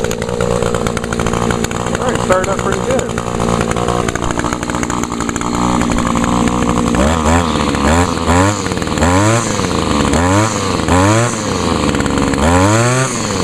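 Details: Older Echo SRM 2201 trimmer, 21.2cc two-stroke, choke and primer-bulb start. Buzzes steadily, then rises and falls cleanly with repeated throttle blips and holds idle: normal two-stroke running, stayed running this time.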